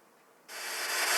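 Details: Atari 5200 console with a cartridge in, heard on power-up: silence, then harsh crackling static that swells louder. The owner suspects the POKEY sound chip area and plans to bend up one of its pins to diagnose.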